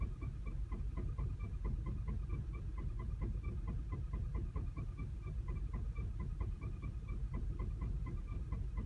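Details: 2010 VW CC, 29k miles, clutch replaced and transmission bled under a week ago: uneven, lumpy idle with irregular ticking pulses and a flashing check engine light; calms at higher RPM with a steady light.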